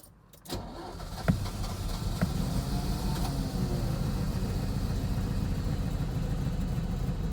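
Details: 1983 Ferrari 308 QV under rebuild, Bosch fuel injection, testing spark after a new number one lead: steady even starter churning for several seconds, never catching; cranks but won't start, all eight plugs then firing, injectors possibly blocked.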